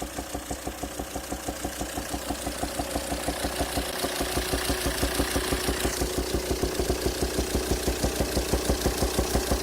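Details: 2007 Volvo XC90 D5 185bhp diesel idling: steady sharp pop about three times a second through the intake manifold and throttle body; cylinder 5 exhaust valve lifter socket sheared, valve stuck closed and backfiring through the intake. Fix: replace the head.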